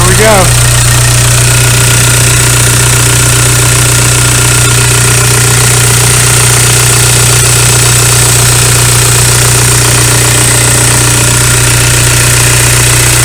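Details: VW ALH TDI diesel idling just after injection pump head seal replacement and fuel line bleeding; even, steady clatter with smooth low drone, no miss or knock; later drive showed no leaks, normal diesel idle.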